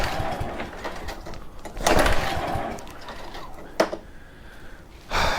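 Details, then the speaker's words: Very old Honda walk-behind mower, starting fluid sprayed in: two sharp pull-cord rips spin the engine but it never fires; cranks but won't start, no spark suspected though plug is connected. "not good at all do we not have spark spark plug is connected would not surprise me if we don't"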